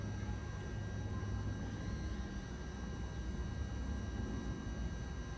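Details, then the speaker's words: 1994 Honda GL1500 Goldwing Aspencade, new aftermarket fuel pump, key on in neutral on center stand: steady low hum with faint constant whine, no stutter or surging, fuel rising into filter to fill carburetors; fuel pump running normally. "fuel filter it's got to be filling the carburetors by now it should shut off"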